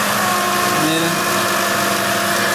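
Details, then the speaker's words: Chrysler Town & Country/Voyager/Caravan front wheel, chassis-ear channel 1 clamped at right front: steady droning hum at road speed, no knocking; noise isolated to the right front hub bearing, to be replaced. "Como podemos escuchar, en el canal 1 está pues todo el ruido."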